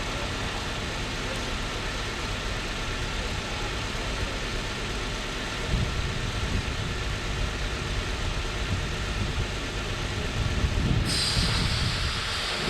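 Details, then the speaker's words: 2006 Chrysler 300 with suspected blown head gasket, treated with Blue Devil sealer, before coil pack replacement: idle stumbles with lumpy, uneven pulses like a dropped cylinder, with no smoke; misfire at idle, cause not confirmed. "i just want to see if it stopped missing at this point but it still sounds like crap oh it still sounds like it's missing"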